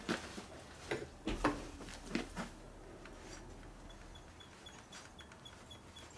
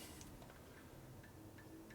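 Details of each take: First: Harley Evolution 80ci FXR motor rebuild: cam gear turned by hand gives irregular sharp clicks, the cam slides easily because the gear mesh is too loose, with excess backlash. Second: 2000 Harley FXR4 80ci Evolution motor rebuild with cam bearing repair and new Ultima flywheel crank assembly: cam gears turned by hand give faint light ticks, no whine, showing backlash in the sweet spot.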